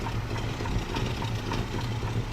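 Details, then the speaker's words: 1974 Chevy K5 Blazer small-block Chevy V8, sitting 9+ months, after new fuel lines and fuel reaching the filter: low, deep, even idle with a slight puffing edge, likely a minor exhaust leak. Otherwise it idles normally. "And it fired right up. Sounds like it got an exhaust leak. Big whoop. But it's idling."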